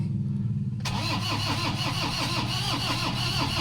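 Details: Toyota Hilux 2KD diesel cranks steadily but never starts; check engine light on, scan done, computer box (ECU) said to be the problem.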